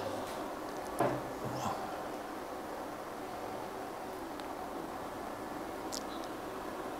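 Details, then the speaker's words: Livoltek GF1-5K48S1 5 kW 48V off-grid inverter at about 2.2 kW lamp load: steady even airy fan whoosh, no rattle or pitch wobble, a couple of faint clicks; fan measured 78 dB, average 69, max 85; normal. "Coba kita cek berapa noise-nya. Oke, ini noise fan-nya di angka 78 ya. Ya, rata-rata di 69 dB, maksimum di 85."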